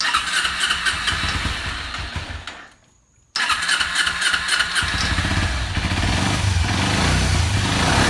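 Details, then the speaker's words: Kawasaki Ninja 250R race bike after changing plugs and cleaning the carburetor: twin-cylinder engine cuts out briefly, then runs and revs cleanly with no more bogging or dying off throttle. "Now she's running. It's not bogging anymore."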